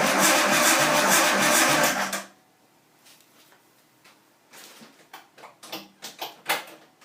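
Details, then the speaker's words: First start attempt on a Nissan 240SX S13 with a swapped RB20DET engine and a reworked harness, run without throttle: strong, even cranking for about two seconds that never catches. Crank, no start; ECU seems powered, cause not yet determined. "cranks pretty good I think well getting that far I mean I would have liked to it to have it started up but kind of expected it that it might not"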